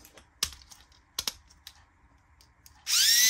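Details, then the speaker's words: Tamiya Mini 4WD MS/MA chassis with a floating gear setup. Handling clicks, then the motor spins up into a harsh, gritty high whine; the front counter gear gap is set wrong, so the counter gear binds on the pinion. "will hear something like this. It's crazy. That's because the front gap is not correct. That's why I'm making this kind of noise."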